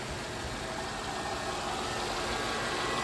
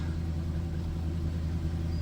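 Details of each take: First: 2007 Jaguar XJ8 Vanden Plas, 4.2-litre V8, 99,000 miles, recorded under the hood just after being revived from electrical faults; smooth, even V8 idle with a soft steady hum and no ticks or knocks. A healthy engine. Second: Jaguar XJ just started after sitting with electrical issues: low idle rumble with a slightly uneven beat that then smooths out; rough idle right after start, cause not found.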